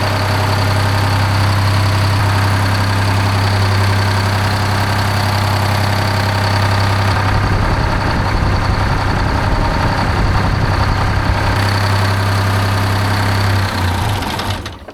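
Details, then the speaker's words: 1975 Peterbilt 359 with Detroit 12V71 two-stroke diesel, first run after 30 years in a barn: low lumpy idle with weak exhaust pulse, one bank dead cold and not firing; exhaust on that side suspected plugged. "nothing dead cold dude nothing on this side is fireing"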